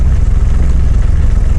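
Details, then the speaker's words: Yanmar F16D compact tractor (1983–86), 1.0 L three-cylinder 20 hp diesel: steady low clatter at an even idle with no misses, knocks or surging; runs really good. "Of course, it's a diesel. Runs really good, as you can tell."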